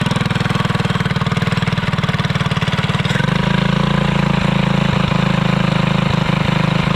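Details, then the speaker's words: Alcohol-fuelled 212 single-cylinder go-kart engine, revved while chain awaits replacement and engine realignment: steady thump picking up sharply after a few seconds, even firing throughout; sounds healthy. "I know that one of the big things was in the end of the go-kart episode last you really didn't get to hear it run too well so we're go ahead and crank it up"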